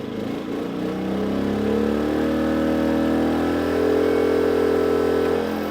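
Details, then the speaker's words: Briggs and Stratton P2400 inverter generator, heavy load switched on suddenly from off: engine note climbs sharply, holds high while catching up, then steadies; normal load response. "So it's trying to catch up, and it's good again."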